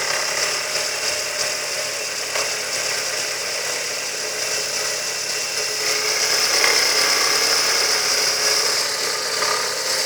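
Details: Ford Zetec Rocam 1.6: light, regular metallic tapping about three times a second that seems to come from inside the block. It is actually a worn idler pulley or drive pulley on the left side of the engine; a simple fix.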